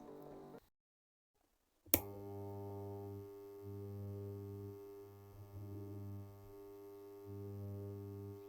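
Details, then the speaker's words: Transformer on direct AC mains: loud steady hum with a low buzz that swells and fades, caused by a large gap in the I-core laminations. "जो इसमें तो इसके जो बीच में कितना ज्यादा gap हो गया है इसी की वजह से य आवाज कर रहा है"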